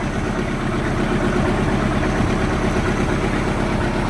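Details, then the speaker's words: 1986 Sea Ray inboard engine after a rough-idle fix (fuel line and crush washer replaced): a deep, even, low rumble at roughly 500 rpm with no rocking on the mounts, the smoothest since it was reinstalled in the boat. "Oh yeah man that's like that my night and day from what it was that smooth it's not shaken"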